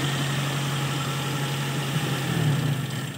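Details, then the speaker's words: Toyota (SB) carbureted engine after reconnecting the leaking vacuum hoses, started without throttle: steady, even idle with smooth low hum, no stumble or hiss; the hard-start problem was just a carburetor vacuum leak. "start mo lang ha walang gas malala natin kung ano na okay na ayan mga tropa problem solve so vacuum leak lang sa karburador"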